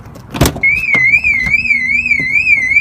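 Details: BMW E46 with 5-speed, key fob not working though it worked the day before: a door clunk, then a loud high siren warbling evenly about twice a second. Alarm went off when the door opened.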